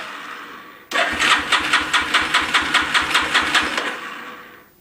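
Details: 350 Warrior that will not start after its starter clutch was replaced, cause unknown: the starter spins the engine with a steady chug about 2.5 per second for three seconds, never catching, then stops; cranks but no start.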